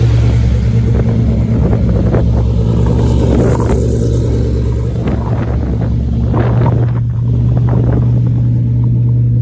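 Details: Lamborghini Murcielago V12 after roadside repair of a blown front coolant line, run to burp the cooling system: deep, steady, even rumble with no knocks or misses; sounds healthy.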